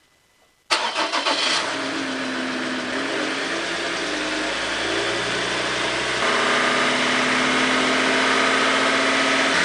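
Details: Mazda BT-50 diesel started after fuel filter replacement and priming: it catches quickly after a short crank and settles into a steady, even diesel clatter at idle. No leaks were found, and it starts and runs healthy.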